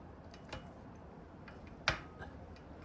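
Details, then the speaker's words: 1970 Triumph T100C motorcycle, running but not shifting, shift lever removed and the gear shifter shaft worked by hand: sharp isolated clicks. The shaft is tight, with nothing behind the seal, so something is wrong inside the shifter or transmission. "hear it clicking? Yeah, so something's wrong inside."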